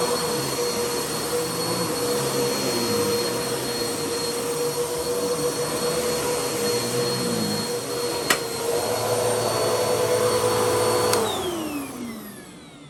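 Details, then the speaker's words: Bissell CleanView vacuum after its bad motor was replaced with a used donor motor: even high whine holds about eleven seconds and then spins down smoothly, quieter than before, no rattle or grind; motor healthy. "works pretty good it's a lot quieter now that motor is replaced works pretty good though"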